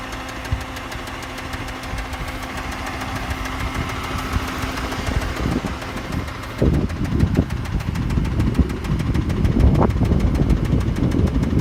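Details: Mitsubishi 6G72 engine knock: rough idle with an irregular low knocking, about two to three knocks a second, growing heavier toward the end; the hydraulic tensioner is ruled out, source unknown until teardown.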